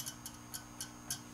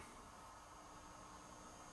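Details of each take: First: Peavey Classic 30 tube combo with new filter capacitors, original speaker and original tubes: faint, sharp ticks about three a second over low white noise, from one sensitive microphonic tube that needs replacing. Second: Peavey Classic 30 tube combo amp after replacing leaky filter capacitors, powered up on its original speaker and old tubes: faint steady white-noise hiss with no mains hum, a healthy idle.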